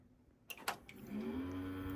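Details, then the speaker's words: Early 2000s custom desktop PC first power-on: switch click, then a fan spins up into a rough, rising drone settling to a steady growl; one fan has worn bearings, possibly the CPU fan; worn fan bearing. "Oh, well, we got one bad fan. I can hear the bearings. Holy crap, it actually posts. Oh my god, whatever fan that's in there just sounds like absolute trash."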